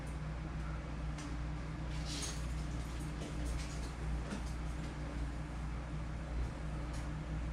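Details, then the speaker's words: Mitsubishi Conquest turbo engine idling after a new fan relay was fitted, temperature a little over 180; steady, even low rumble with no stumbles or knocks; normal idle. "So as you can see, it's idling beautifully. Temperature is at a little bit over 180,"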